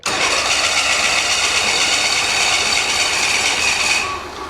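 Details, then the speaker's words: 1985 Bass Tracker outboard motor, sat for years, after re-priming fuel: loud ragged cranking at about four beats a second, starting to catch but not idling; owner suspects flooding – hard starting. "Let me prime my gas again. We got gas. I may have flooded the sucker."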